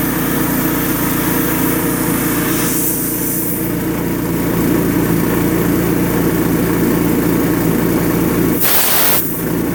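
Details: 5.5 hp Honda engine on air compressor, fresh pump oil, good belt, dirty air cleaner, choked: steady even drone with no stumbling or hunting; runs good.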